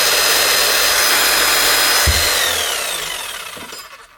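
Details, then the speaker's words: Hammer dead from a disconnected wire pulled out, brushes well used, after reconnecting: even high motor whir holds steady then winds down smoothly; runs normally. "Just that simple. Wonder if somebody's just playing a joke or something. Not even sparking that heavily either. Nothing wrong there at all."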